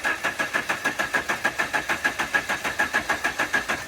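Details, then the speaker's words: 1985 Dodge Daytona Turbo barn find, cranked with carb cleaner in the throttle body: the starter turns it briskly and evenly at about three compressions a second but it never fires; no spark suspected, Hall effect wires later found chewed off. "So we may not be getting spark. I haven't checked it or nothing. Let's try to see if I can get it to at least pop off. The crank's good. Sounds good."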